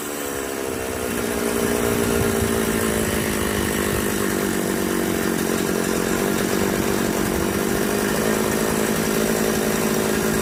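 A two-stroke chainsaw runs steadily with a buzzing tone that rises slightly and holds, sounding normal.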